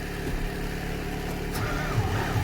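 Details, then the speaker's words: Fendt 720 tractor diesel cold start at minus 25 °C after a couple of hours plugged in; deep, labored, sluggish starter cranking that drags and won't catch as the battery runs flat; slow cold cranking from weak battery. "come on oh we're running out of juice come on this is gonna be our last time it really needs to go"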